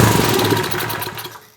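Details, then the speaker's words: 1970s Hahn Eclipse BHT-120 tiller, 3.5 hp flathead Briggs & Stratton with decompression, 60 PSI compression, sat outside for years, after carburetor cleaning: catches for a few ragged pops, never settles, dies within two seconds. "Oh, we got it. Now, how do I keep it running? Oh, it just quit on me."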